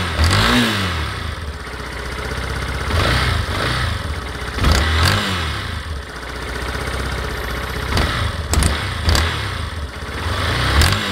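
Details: Yamaha Fazer 250 single-cylinder: sharp irregular snapping clacks over the engine as it revs up and down, louder on cold start and when accelerating; engine clacking, cause unknown, owner asking.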